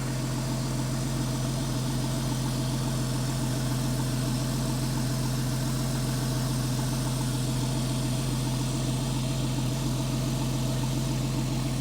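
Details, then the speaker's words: Porsche 997 S idling after serpentine belt, tensioner and lever replacement; smooth, even idle with a steady low hum and no squeal, chirp or rattle from the belts. Belt deflection is minimal and the tensioner is doing its job. Normal idle with quiet belt drive. "It sounds very healthy. Sounds good. I don't hear any abnormal noises. How's the belts?"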